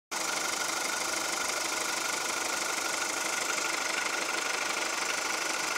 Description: Mein Golf 4 1,4 75PS Baujahr 2002 hört sich an wie Diesel.